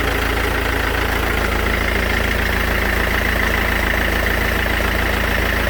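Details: Mercedes S212 E 220 CDI diesel at idle: steady idle with a fairly even clack about three per second over the engine; source not identified.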